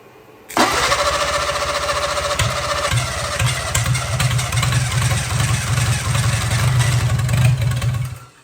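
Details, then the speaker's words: 1957 Hercules Power flathead four-cylinder with magneto, first try on a possibly weak battery before fuel work: steady even cranking about eight seconds with occasional firing attempts that never catch; cranks over good but won't run yet. "Yeah, it should run. We know she'll run. She's cranking over good."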